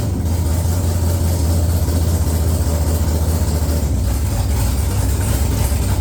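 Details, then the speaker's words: XG ute with a 6.0 L LQ4 (long-crank) V8 swap, first start after replacing a faulty new crank sensor: deep steady V8 idle, even low rumble, no knocks or misses; running smoothly. "I'm a very happy man. Very happy to hear this thing run."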